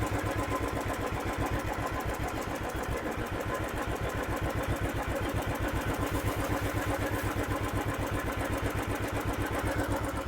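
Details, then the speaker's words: Royal Enfield Thunderbird 500cc single-cylinder idling just after start at over 1500 rpm: quick, even beat well above a normal lazy thump; idle set too high, to be lowered via the Allen-key idle screw, nut held with nose pliers. "So இப்போ start பண்ணாலே தெரியுதுங்களா, இது 1500க்கு மேலே இருக்குது. ஓகேவா. So இவ்வளோ ஒரு அதிகமான ஆர்பிஎம் வந்து ஐடில் ஆகிட்டு இருக்குது."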